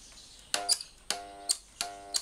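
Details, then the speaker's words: Black & Decker lawn mower powered through a series test lamp bank of three bulbs (about 600 W): three brief buzzing hums, each bracketed by switch clicks, with no spin-up; the motor is locked and stuck, drawing high current. "เสียงคางอยู่ที่นี่ว่าอย่างนี้แสดงว่าอันนี้ปัญหาที่มอเตอร์ลหมันหมุนไม่ออกนะฮะเรามากินโหลดสูงปกติมันต้องสว่างและดีอ่ะอย่างนี้ติดติดค้างแล้วไม่หมุนฮะ"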